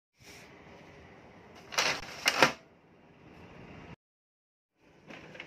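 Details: Brother laser printer (2520D/L2300D family) startup after power supply repair (MIP005 IC): quiet motor whir with a couple of sharp mechanical clacks as rollers and gears cycle, then settles; normal warm-up, printer ready.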